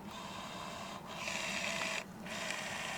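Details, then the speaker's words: Peugeot 306 newly replaced electric wing mirror tested with ignition on: thin, even motor whine in three short runs with pauses, steady pitch, no grinding; mirror motor working normally. "you can hear it working. Sounds great."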